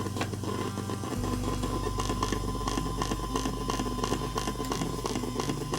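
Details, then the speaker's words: PC front-panel earphone jack while a phone charges to about 99% from a front USB port: low hum under a thin high tone with rapid irregular ticks and buzzes; the charging circuit draws current intermittently, injecting noise into the audio. "소리를 느껴 봅시다 같이 한 분 앞에 2 휴대폰이 전원을 이렇게 꿀꺽꿀꺽 마시고 있구나"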